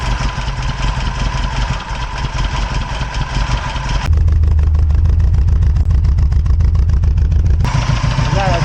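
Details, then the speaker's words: VW Golf 1 four-cylinder at cold idle after timing belt replaced and re-timed (timing found badly off): steady low even beat about three to four pulses a second, no misses, running on all cylinders; owner attributes small exhaust puffs to manifold leak. Normal cold idle. "ralenti hein. Au début elle est froid, c'est normal."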